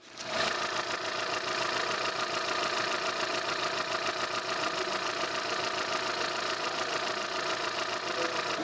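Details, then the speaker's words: 2008 Kia New Morning LX petrol, 58,000 km, heard with the engine bay open: smooth, even idle with a steady beat and no belt noise or head knocking. Normal idle. "자 이렇게 모님 차량의 엔진은 까지 듣고 오셨습니다 뭐 엔진 벨트 들른 소리 헤드 치는 노킹 하면 전혀 들리지 않았고 요"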